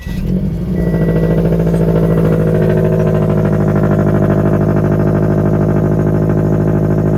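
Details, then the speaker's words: Supercharged Scion FR-S, automatic, with Vortech supercharger, front-mount intercooler and oil cooler, back on the road after a dropped rocker arm and broken valve cover were repaired. Early-morning cold start: the starter catches fast, revs flare, then a loud, even high idle with a deep exhaust drone. Starts healthy. "This is gonna be a cold start. It's gonna be loud. I'm gonna wake up all my neighbors."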